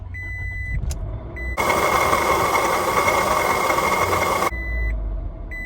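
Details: 2005 Scion tC on a morning cold start: a harsh, rough grinding roar lasts about three seconds. The fix is a new water pump, replacing the belt and belt tensioner too. Water pump bearing grinding.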